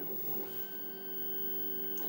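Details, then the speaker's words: Redvision X-series PTZ CCTV camera with wiper arm, running datum check (preset 9) that verifies alignment and wiper: soft steady electric whir with faint high tone, smooth; normal PTZ motor movement. "it's doing now is it's checking its alignment to see if it's being moved also checks the wipers working"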